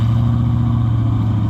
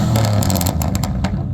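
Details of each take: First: '96 Ford F150 V8, 239,000 miles, at idle before exhaust repair: deep steady idle with muffled, choked exhaust note and foul smell, no smoke; one catalytic converter completely plugged, restricting flow. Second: '96 Ford F150 V8, 239,000 miles, revved repeatedly while one catalytic converter is plugged: open, loud V8 rising and falling with crackle and popping on the overrun, engine pulls cleanly, no smoke.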